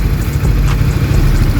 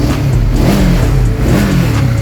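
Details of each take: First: 2021 Honda CBR150R with engine noise, cam chain tensioner deliberately backed off: uneven clattering at idle from the slack timing chain, which is smooth again once the automatic tensioner re-tightens it. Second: 2021 Honda CBR150R after fixing engine clatter caused by a very slack timing chain beyond tensioner reach: revs rise and settle cleanly with throttle, no rattle or clatter; engine now runs smooth.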